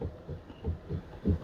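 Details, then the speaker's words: Mitsubishi Xpander (FWD, about 90,000 km) parked, steering wheel turned by hand with the mic placed nearby: dull, uneven thuds about three times a second, the same knock heard over uneven concrete; traced to the steering rack. "Nah, ini bunyi kelukuk kayak gini kalau pas lewat jalan beton. Tapi biasa gue jarang gerakin setir kondisi diem ya."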